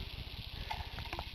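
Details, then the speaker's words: Tire being reinflated after cleaning debris from the bead and flushing with water: fine crackling sizzle like frying from many small leaks around the bead, tire losing air all round the rim seal. "well now as you can see uh cleaning out didn't really work I have leaks everywhere almost sounds like I'm cooking"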